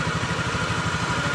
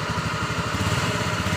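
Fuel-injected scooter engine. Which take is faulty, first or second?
second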